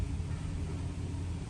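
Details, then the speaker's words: 2008 Dodge Caravan 3.3L, about 152,010 miles, plugs, coil and EGR valve already replaced, injectors not: low, slightly uneven idle rumble dipping and surging during a light rev; shaking felt, misfire counter rising on cylinder 3 (P0303). "está y ahí se siente más la un poquito de vibración y empezó el conteo y estaba subiendo aquí ok ya y confirmamos que la camiseta se está temblando y ésta tiene mis fans en el número 3"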